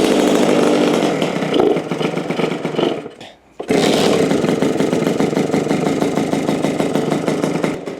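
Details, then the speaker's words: $300 Suzuki RM65 two-stroke mini bike, just kick-started after about 4 kicks (choke on, then off): crisp buzz dips briefly, then picks back up to a clean, steady rev. Engine sounds healthy. "she sounds healthy. That thing sounds good, dude."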